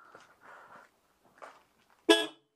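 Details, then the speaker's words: Citroën 2CV AZLP6 during reassembly, fenders off, after tightening horn mounts to improve ground: one short, loud, bright horn blast with full steady tone; horn now sounds normal. "Là, c'est le bruit que je connais. Donc c'est bon, maintenant il n'y a plus qu'à remonter les ailes."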